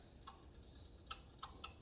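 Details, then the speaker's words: Trane TUX1D120A9601AB furnace pressure switch C342634P24 tested with the power off by blowing in and out through its hose; sharp clicks, three close together near the end, as the switch snaps over; the switch works normally. "So if you put your hose back here, and you blow in it in and out, make sure the power is off, of course, right? Always, it's off. And you're gonna hear the click, like if you do"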